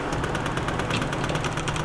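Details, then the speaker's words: Prusa MMU2S multi-material unit at print start: a fast, even ticking buzz as the selector sweeps back and forth to find its sides and confirm alignment; normal homing. "That noise? That's good. Yep, that's okay. So what it's doing is, and you'll see this, it'll do this at the beginning of the print, and actually this needs to be centered. It just kind of goes back and forth to make sure it knows where the sides are and knows that it's aligned."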